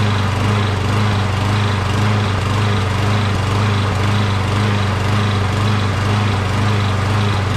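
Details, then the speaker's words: Briggs 12.5HP SOHV engine on a Poulan XT PXT12538 lawn tractor, long unused and just refuelled: steady drone with slight rhythmic hunting about twice a second at first start. Owner suspects debris from sitting; smoothed out after about a minute. "so so as you can see when i first started it it starts up right away uh but it kind of surged a little bit it's been sitting here for a while you know what i mean so there might be some kind of debris going on"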